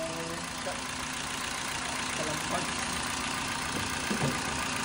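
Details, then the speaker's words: Toyota Vios after its thick oil sludge was cleaned out, first start, still warming up with the aircon off: steady, calm idle with an even low hum and no ticking or tapping. The earlier typewriter-like ticking is gone and the oil indicator went out. Normal idle. "Ano? Tahimik na. Wala na yung typewriter."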